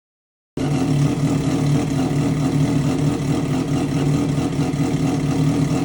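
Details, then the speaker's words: Triumph Daytona 675 first start in 3 months after crash rebuild, new exhaust mid pipe fitted without muffler; loud raw steady idle with crackly low rumble, no knocks or misses; normal idle, straight-piped exhaust. "I want to start it without the muffler. It's just tradition. When you do exhaust, when you take an exhaust off, you gotta start it straight piped, right?"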